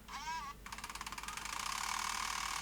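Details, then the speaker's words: Sony DCR-IP7E MicroMV camcorder: over a high whir, a rapid clicking clonk about ten times a second that quickens as the reel speeds up. The take-up reel table is cracked right through and the gear tooth catches the crack each turn. "oh dear can you hear it one of these wheel tables is split"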